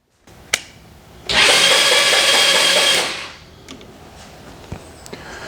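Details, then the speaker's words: GY6-type Chinese scooter/kart engine, battery weak, compression not gauged: a short, even, high whirring spin of just under two seconds at steady speed; starter turns the engine over well, normal cranking. "turns over pretty good since I don't have a compression tester I'm just going to go ahead and short across the starter solenoid"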